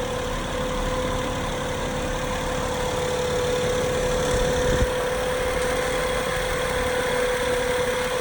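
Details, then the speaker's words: 2012 Acura MDX, timing belt, serpentine belt, transmission and transfer fluids done within last 7,000 miles, no power steering leaks: new thin whine from engine compartment, owner says it changes with rpm, suspects behind engine: whine at idle. "okay you can see you can hear it change up and down with rpms"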